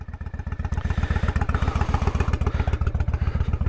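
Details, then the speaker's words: 1998 Honda Shadow 1100 cruiser V-twin with a Stage street kit, cold on choke: deep, even thumping about four beats a second through loud open pipes; it is cold but sounds nice, a normal cold idle. "but you can hear it sounds nice"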